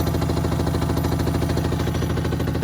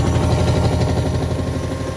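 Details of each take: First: Hotpoint WMXTF942P washing machine, rear cover off, spinning at full speed with a full load: heavy, fast rhythmic thumping and droning rumble with excessive vibration, likely from dry shock absorber dampers. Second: Hotpoint WMXTF942P front-loader after greasing worn shock absorber dampers: steady low hum with an even gentle pulse at full spin speed, a lot smoother with less vibration; normal spin cycle after repair.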